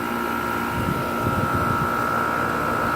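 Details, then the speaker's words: 2015 2.5-ton Tempstar central air conditioner outdoor unit: smooth steady fan whoosh with a constant mid-pitched compressor tone, no rattles or grinding; normal running. "2015 two and a half times both sounds really good"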